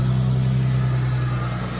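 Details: Manual-transmission car with a totally dead battery, just jump-started with a FLYLINKTECH 1000A jump starter: smooth, even low hum at steady idle with no misses or ticks; running normally.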